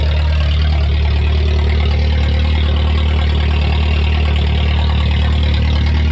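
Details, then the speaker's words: Junkyard VW Golf 3 (Mk3) started to warm up to temperature: loud, steady, raw unmuffled rumble at idle as if no exhaust system. "i don't know if camera does it justice but i'm literally screaming this car is so loud but it's kind of sick"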